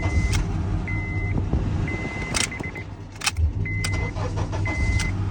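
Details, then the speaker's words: Honda Accord 2003 that would not start and made a strange noise at the fuse box from the starter relay, after replacement with an original part; engine starts and idles smoothly, with a repeating warning chime and key clicks. "ruido desapareció Sí ahora sí enciende el motor muy bien"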